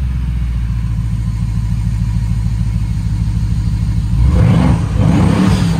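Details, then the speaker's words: BMW 750Li on its first start after transmission repair, oil warm after a few minutes running: a steady, even idle, then clean quick rev blips with no knocks or misses; a healthy engine. "sounds like a healthy engine to me"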